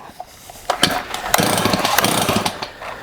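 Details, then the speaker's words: Old STIHL 026 chainsaw that sat about 10 years, started on full choke despite awful-feeling compression; ragged, uneven firing with a harsh rattle and weird noise over the revs. "But the compression does not feel good at all, guys. It feels awful. I'm totally shocked it started."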